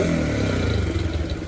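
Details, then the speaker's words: Honda CB100/GL100-based custom with a newly fitted CPO PE26 26mm carburetor: short sharp throttle blips with crisp pickup and clean fall-back, no misfire or hesitation. It sounds more aggressive than with the previous carb and revs healthily. "Sekarang diganti PE26 ini tuh jadi lebih garang suaranya ya. Barusan juga digeber-geber."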